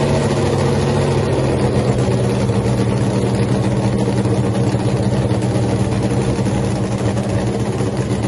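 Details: Freaky Tiki Hemi Cuda funny car, first fire-up after a three-year build, run without nitro after earlier magneto ignition trouble, tires cold: loud, deep, steady idle with an even pulse; sounds great.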